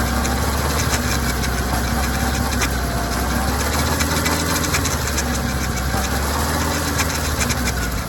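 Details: Kawasaki ZR-7S air-cooled four-cylinder idling with irregular light rattling and clicking over the engine note, consistent with drive chain noise; cause unknown.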